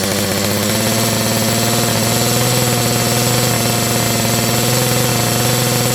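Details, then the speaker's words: Auction-bought auto-tune chainsaw, not yet warm, at fast idle: loud buzzy two-stroke that pops, chugs and stumbles at first, then evens out while the auto-tune adapts. Owner suspects it is still running rich. "You'll hear this thing, it's kind of popping and farting. The auto-tune's trying to figure out what it needs to do."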